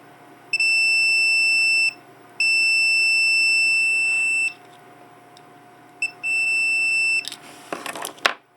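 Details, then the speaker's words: 1984 Corvette C4 Crossfire Injection fuel pump relay continuity test, key off: three steady high-pitched multimeter beeps, each 1–1.5 s, confirm continuity between terminals A and D, closed relay contacts. "so so you should have continuity between terminals a and D"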